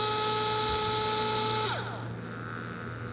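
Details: DeWalt DCF682N1 gyroscopic cordless screwdriver, on/off trigger with speed set by tilting the tool: small motor whines at steady high pitch, then pitch slides down as speed drops, smooth with no grinding; healthy motor.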